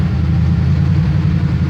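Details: 1978 Chevrolet C10 pickup, cold start after about three weeks sitting, around 90°F outside: deep, steady burble, even low pulse, no knocks or misfires; healthy cold-start idle.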